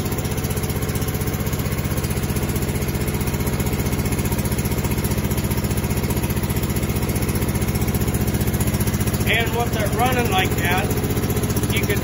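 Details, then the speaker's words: Husqvarna TS 248XD twin-cylinder riding mower idling with a steady, lopsided thump of about three beats a second. A plug-pull test shows it fires on only one cylinder, which explains the lack of power and why it dies when the PTO is engaged. "so that tells me it's only firing on this cylinder so out of the two cylinders it's only running on one so that's why it's not having the power"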